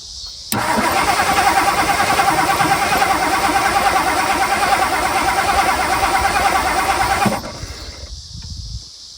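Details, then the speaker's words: 1964 Mercury Marauder 390 V8, sitting since 1987, coil powered directly and gas poured down carburetor: about seven seconds of even cranking, never fires; spark unsure, ignition points later sanded. "I don't know if we have spark or not to be honest. Oh, I hate checking for spark."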